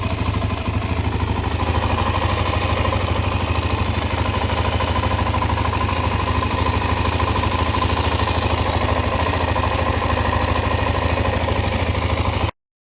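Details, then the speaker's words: Suzuki DRZ 400 single-cylinder four-stroke, about 25,000 km, original exhaust: an even idle with about three light ticks a second over a steady thump. This is normal valvetrain tick and sounds fine. "actually to me it sounds fine uh it's not it's not quiet but uh it has the I guess here it had the original exhaust on it so you can also hear engine noise a bit more"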